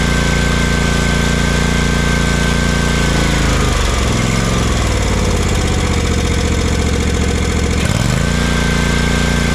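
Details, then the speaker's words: Kawasaki FS541V twin on an Exmark Vantage S stand-on mower, previously popping, cracking and lacking power with blades engaged; after repair it pulls a steady, even note, dipping and recovering smoothly without popping or stumble: runs beautifully. "Runs just beautifully."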